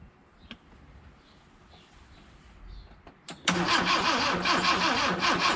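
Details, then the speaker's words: 1979 Honda Accord barn find, cranking with the throttle pressed: steady pulsing starter churn with an audible compression 'pchit' but no start. "Déjà, on entend l'air qui remonte. Il y a un bruit de compression. Il y a un pchit pchit."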